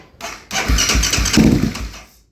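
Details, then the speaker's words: 2008 Kawasaki KFX450R with new starter, relays, solenoid and injector, clutch held, no FI light: quick even cranking pulses then silence, never catches; suspected weak fuel pump pressure. Cause not confirmed. "still turning over with no FI light. Hold the clutch."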